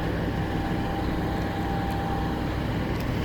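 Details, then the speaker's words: Miller 602 welding machine after repair: even low steady hum with faint constant tone, no rattle; earlier vibration noise gone after fixing it with wire, running capacitor replaced; normal running. "Nawala na yung ingay dahil yung ingay kanina yung vibration para dito."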